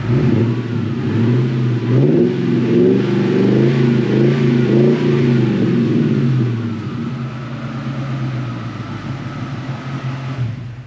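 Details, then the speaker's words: Mustang revived after sitting nearly two years: strong clean revs climbing and falling smoothly with a deep even exhaust note, no knocks or rattles; healthy engine, though it still needs brakes. "She still sounds good. Still sounds good. Sounds good indeed."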